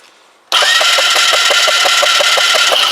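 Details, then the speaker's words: Kymco Agility 125 scooter with no spark; starter cranks with even pulses about four a second but never fires, meter shows no output from the stator pickup coil, stator suspected faulty, crank no start. "nothing so there appears to be nothing coming off the pickup coil whatsoever ever the second test i've done which leads me to believe that the stator is bollocks"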